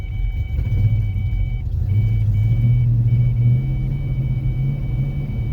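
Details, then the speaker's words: 1993 Mustang LX convertible 5.0 V8, 5-speed, at held steady throttle surging and stumbling; misfiring badly despite new plugs, wires, distributor and timing set; cause unknown. "just holding it steady. Just won't hold."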